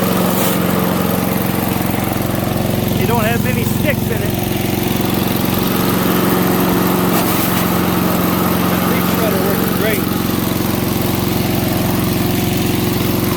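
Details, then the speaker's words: MTD 5 hp single-cylinder chipper/shredder, owner guesses 1990s-built, running after carburetor kit fitted: steady drone sags briefly as branches go in, then picks back up; normal running under load. "making pretty quick work of this pile here but it is work so it's an mtd five horse chipper shredder"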